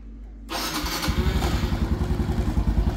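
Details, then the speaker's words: Honda Wave 110 motorbike that had no spark and wouldn't start from a broken wire, after temporarily reconnecting the wire and reinstalling the spark plug: kick start fires, steady even single-cylinder putter about three beats a second; normal start and idle. "Now I'm going to install the spark plug and I'm going to fire it up. Now I'm going to fire it up."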